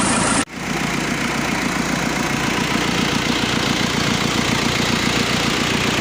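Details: Mazda B2500 diesel restoration, after valve cover resealed, oil filter changed and oil added: brief cutoff, then steady even idle clatter, no stumble or odd knock; normal idle.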